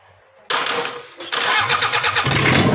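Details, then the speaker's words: Toyota Kijang diesel after engine work on a cracked block with a weld-blocked oil passage, glow plugs fitted: short crank, catches at once and settles into a steady even idle with no knocks or misses; oil pressure 4 bar, oil circulating. "Oh WS gak usah Alhamdulillah udah hidup Lur langsung hidup kita lihat tekanan oli dulu ada di angka 4 bar dan olinya sudah sirkulasi"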